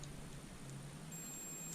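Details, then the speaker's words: 2007 Mazda 3 hatchback with no crank, no start, multimeter set to continuity while checking fuses: a single short, steady high-pitched beep as the leads touch, showing continuity. A beep on a fuse means the fuse is good. "so we're gonna go to each fuse and just touch the leads if we hear a beep then we know the fuse is good"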